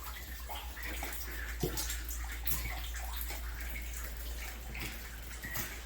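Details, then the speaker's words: Hot water supply line leaking in an upstairs unit of a commercial building, heard from the unit below: steady rushing and splashing as water pours through the fallen drop ceiling. "Drop ceiling has fallen down. Water is still pouring, as you can hear."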